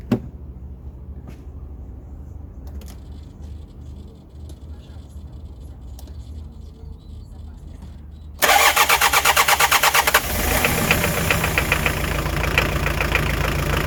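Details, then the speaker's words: Hyundai Terracan 2.5 diesel D4BH after a cylinder head swap: it starts with a sharp, steady knock at idle and blue-grey smoke. Loosening the fourth injector's line stops the knock on three cylinders, confirming a faulty fourth injector. "Вот идёт стук. Дым, дым сизы какой валит."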